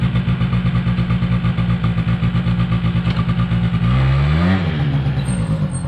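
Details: 2005 Polaris Predator 90 small two-stroke quad, long-sat, new battery. Carb retuned and air screw adjusted; brake clean sprayed around the carb gave no change. Fast idle never drops back and flares briefly; high idle hanging, cause not found.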